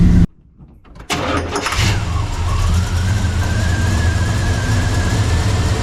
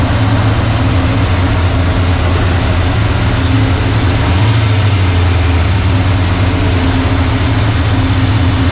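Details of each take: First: 1985 Chevy C10 Blueprint 350 V8, hot after driving, restarted after dieseling on shutoff: short crank, slight choke, then slow, loping idle with a faint rising whine; timing about 15° advanced, low idle from over-advanced timing. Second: 1985 Chevy C10 Blueprint 350 V8 after sealing off a torn vacuum hose, timing unchanged: deep, steady idle rumble with an even beat, no stumbling or hiss; running a little better.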